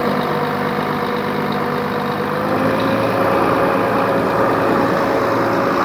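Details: 2004 Volvo truck diesel, recorded with the hood open after the truck sat 6 years in a truck graveyard: steady, even idle with a low rumble and a faint whistle on top, no knocking or stumbling; healthy.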